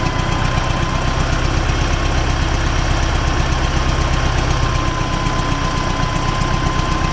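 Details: T-40AM tractor diesel crossing a field ditch to test the differential lock, about -14°C after standing a month; steady run with a regular low knock about four a second under load, engine knock source being sought.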